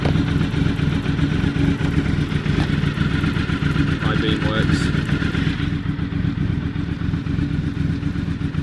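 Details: V4 motorcycle just started with the choke on full, fluids reported clean, forks checked straight: a steady, even beat at fast idle with no ticks or knocks over the street noise. The engine runs smoothly.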